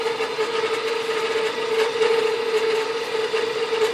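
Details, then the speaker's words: 12 V furnace blower fed through the time delay relay, with the thermostat simulated by a jump pack and power from the converter's 15 A fuse: after about 5 seconds, a weak hum with airy hiss and no speed build-up. The faulty relay starves it and the blower barely runs. "Takes about 5 seconds. 2, 3, 4, 5. That thing is barely running."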